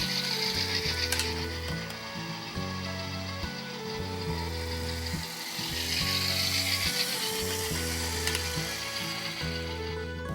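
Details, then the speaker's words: HO scale Bachmann Sound Value F7B locomotive, test run after replacing both gearbox assemblies and trucks, shell off: steady whirring gear drive with fine even clatter at constant pace after an early wobble from derailment; runs smooth and healthy. "Before mounting the shell, I did a quick test run. That wobble scared me for a moment, but it was just a derailment. The thing ran fine once the wheels were actually where they needed to"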